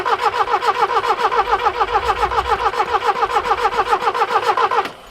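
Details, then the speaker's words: 1967 Toyota RT40 Corona: even cranking about 3.5 beats per second that never catches; carburettor not squirting any fuel, fuel suspected empty or not being drawn up through the filter; cranks but won't start. "could it be out of fuel perhaps oh yeah it's not not spraying anything out to squirt us at all"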